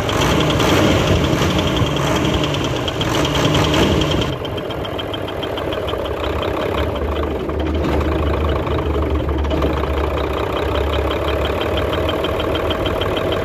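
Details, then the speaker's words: Hino Euro J08C six-cylinder truck diesel at idle with a steady, slightly uneven knock of about three per second. Teardown found the air compressor piston overheated and seized and its connecting rod loose on the crank; that rod made the main noise. "दूसरा जो है जो बहुत ज्यादा आवाज़ थी वो जो है इसके कनेक्टिंग रोड की थी"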